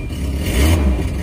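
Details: Volvo 240, warmed up: a short rev from idle gives a loud, raspy, puffing exhaust note that's far too open; cracked, holed exhaust pipe leaking, to be patched with high-temperature metal repair compound.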